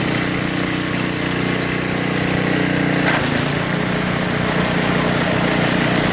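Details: Brute 24" snow blower, 5HP Tecumseh engine, after carburetor cleaning and new fuel line and filter (previously bogged and stalled under load): steady, even putter with no bogging or surging; sounds healthy.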